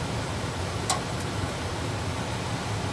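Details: Trane gas furnace, troubleshot for a false high-limit error, running after loose panel parts were secured with two self-tapping screws to stop noise and vibration: steady airy rush over a low, even hum, one brief click, no squeak or rattle.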